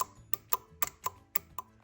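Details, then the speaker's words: Audi 2.0T high-pressure fuel pump solenoid jumpered directly to 12 volts with the engine off: sharp crisp clicks, about seven in two seconds; the solenoid works normally. "I'll connect one wire up to the negative, and when I touch the positive, you're going to hear the solenoid click."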